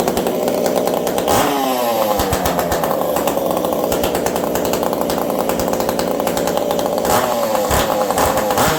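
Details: Ironhorse-ported Husqvarna 372XP chainsaw in cold weather, running slightly lean from the cold: high-pitched two-stroke buzz, crisp throttle rises and falls with no bogging; running cleanly.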